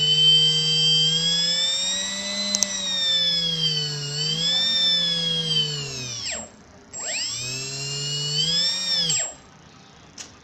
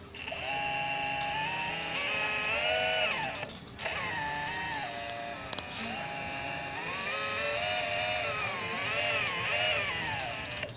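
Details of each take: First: Small 1250 kV brushless motor on a HobbyKing 30A ESC gives a clean, high whine rising and falling with throttle and no grinding; the same motor ground on a DYS BLHeli 40A ESC, suspected desynchronization. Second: Avionics 1250 kV brushless motor on a DYS BLHeli 40 A ESC: stacked whining tones rising and falling with throttle under a rough grating edge; absent with a HobbyKing 30 A ESC on the same motor, suspected desynchronization.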